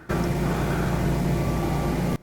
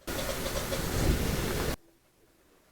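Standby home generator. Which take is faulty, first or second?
second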